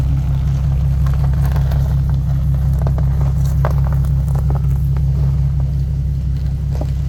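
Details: 2015 Nissan 370Z after front-end collision and frame repair, idling outdoors after its cold start: deep, even rumble at steady idle, no misses, knocks or ticks, slight outdoor crackle; running good.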